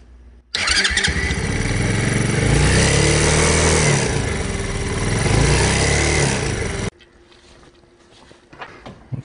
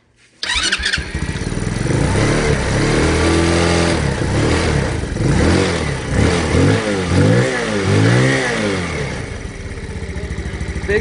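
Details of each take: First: Hellcat Raptor 125cc single-cylinder bike (Grom clone) runs with a rough, buzzy rattle and bad vibration when revving that shook the footpegs; a loose, snapped engine mount bolt found after timing chain and exhaust checks. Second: Honda Grom clone 125cc single-cylinder bike, after fixing a snapped, loose engine bolt that caused bad engine vibration: fires up and revs cleanly, no rattle or buzzing vibration over the exhaust.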